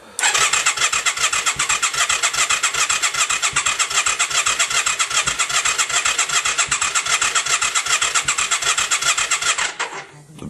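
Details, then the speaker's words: Yamaha XV535 after starter clutch replacement, in neutral, battery charged: starter cranks steadily about two and a half beats a second for ten seconds, occasional exhaust smoke puffs, never catches; crank no start. "battery is charged. If I put it on choke, it cranks over slower, but the exact same thing does nothing."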